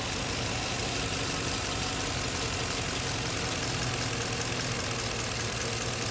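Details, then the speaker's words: 2015 Chevy Camaro at idle with codes P0206 and P0300: uneven, lumpy pulse and unstable idle from a cylinder misfire, traced to the cylinder 6 injector fault. "mira mira Miren la manilla ahí está la inestabilidad en Ren efectivamente hay un cilindro"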